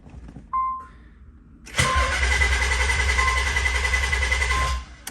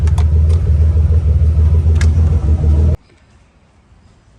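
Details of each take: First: Car with fuel pump control module bypassed by wire: chime then about three seconds of even cranking that never catches, as the connector was left unplugged so the fuel pump had no power. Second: Car with a fuel pump control module bypass, after about 30 minutes of idling with the ground wire staying cool. Steady low, even idle rumble for three seconds with no misses or knocks, then the engine is switched off and goes quiet.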